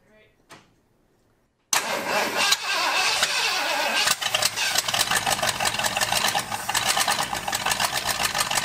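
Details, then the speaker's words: Flooded 1978 Ford F-150 V8, first run on fuel poured into carburetor bowl: catches after a few cranks, runs rough with uneven stumbling beat, not on all eight cylinders; owner suspects cracked emulsion tube on one bank, timing and plugs likely bad. "we definitely don't have all eight cylinders but it's trying to run what that might be is that cracked emulsion tube not working right"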